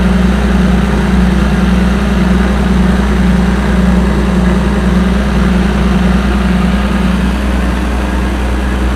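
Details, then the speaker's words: Combine 525 after water pump replacement, definitely warm after working hard; oil pressure low at hot idle, higher once cooled: low even idle, steady beat about two a second, no knocks or misses; healthy. "It was good. I always like to have some good oil pressure and good oil flow. That's definitely warm."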